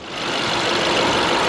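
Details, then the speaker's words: Salvaged 2010 BMW 550i Gran Turismo AWD, warm V8 idling with the hood open: smooth and even with only a light, fast direct-injection tick and no smoke; a healthy engine. "Other than the direct injection, it purrs like a kitten, Nick."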